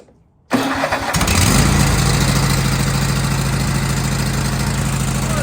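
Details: 2015 Craftsman Pro 8300 tractor, Kohler KT745, after replacing the starter (solenoid swap had not cured whining no-turnover): short crank catches within a second, settles to steady even idle with no whine or grind; healthy start.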